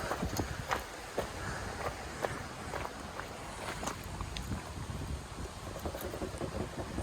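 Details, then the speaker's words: Trailer wheel spun by hand gives sharp, uneven clicks about one or two a second; slight play in the wheel bearing, so the cap and pin come off and the nut is tightened until clicking stops and the wheel spins freely. "there's a little bit of movement in there so i'm just going to tap this off with a hammer pull the pin out tighten it you want the spin freely but you don't want no click clicks"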